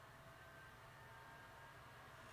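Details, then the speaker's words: PS4 CUH-1215A after a friend's disassembly for Blu-ray repair: steady loud rushing whoosh with faint high whine, fan speeding up way too fast because heatsink clamps weren't installed; fixed by reassembling correctly. "Let me go ahead and turn this bad boy off. That fan is speeding up way too fast."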